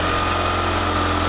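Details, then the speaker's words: Mitsubishi Spyder at idle after fitting a fresh stock exhaust system and sensors to fix exhaust leaks: smooth, even idle with a steady low hum and no ticking, puffing or rasp; much quieter, no leaks. "Sounds so much quieter. Right? Honestly. Yep, no leaks."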